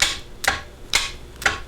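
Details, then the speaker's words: New Bosch 24 V starter on a stationary engine, battery at 25.5 V: four sharp solenoid clicks with no engagement or cranking because the battery cable is open circuit. "your click right there no engagement no nothing but this battery cable is open circuit"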